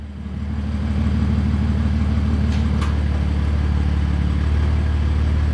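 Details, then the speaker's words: BMW F80 M3 after spark plug replacement: engine fires up and settles within a second into a smooth steady idle, no misfire or stumble. Normal idle. "going to do a little startup here and some small revs just to make sure everything sounds good and the car is idling good."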